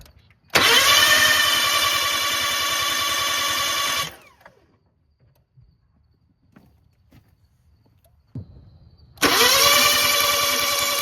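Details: Kia crank no-start before the new camshaft and crankshaft position sensors go in: two bursts of steady fast starter cranking, each several seconds, with no catch or firing; owner hopes the sensors are the cause.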